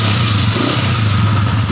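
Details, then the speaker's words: Honda TMX155 single-cylinder after converting contact-point ignition to CDI, started in one kick: steady even thumping, crisp response, no misfire; timing judged right, a backfire noted afterward. "Okay, tara ba? Paandarin natin. Wow, revolution mo nga. Revolution mo. One kick."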